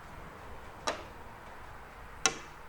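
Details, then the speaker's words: Porsche 986 Boxster / 996 Carrera fuel tank vent servo: two crisp clicks about 1.5 s apart as the electrically operated vent opens, showing the system works. With its fuse pulled there is no click. "You hear that click. All right, so the system's operating properly,"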